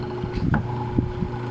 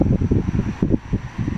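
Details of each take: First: Hanabishi stand fan plugged in: steady low electrical hum as the motor strains but won't spin; suspected seized shaft bushing and possibly weak starting capacitor, motor itself seems okay. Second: Hanabishi stand fan after motor, bushing and shaft replacement and a new thermal fuse, having hummed before repair: soft, even motor hum with airy whoosh and no grinding or rattle.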